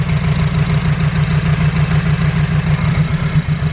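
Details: EG Honda Civic with a suspected injector problem, running the same after the number one injector was reseated: a low, lumpy idle with an uneven pulse of about 200 beats a minute, like a cylinder not pulling its weight; cause not confirmed.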